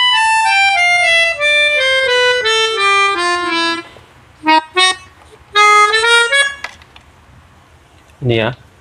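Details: Melodica after repair, playing clean single notes down and up the scale with no doubled or buzzing reeds. The doubled sound came from a key valve or membrane left slightly open, now fixed.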